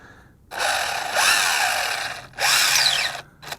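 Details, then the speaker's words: ZD Racing 10421-S B-10E 1:10 4WD RC car with T3650 3300KV brushless motor, 45A ESC and 2S LiPo, driven after jumps on dirt: two short high-revving bursts with a harsh gritty rasp over the motor whine; dirt in the drivetrain suspected, not confirmed. "that I'm not sure this one is as durable as the other one of we're 23 cuz I'm it's making weird noises here"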